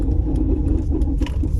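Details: Volvo V60 Ocean Race Edition manual, clutch held at the biting point under load: deep engine drone with a quick rhythmic knocking rattle from a failing dual mass flywheel.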